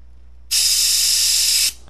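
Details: Metcal desoldering gun with STDC 804 tip removing a 16-pin DIP's plated through-hole flat leads: a sharp, steady hiss lasting just over a second that starts and stops cleanly; vacuum pulling normally.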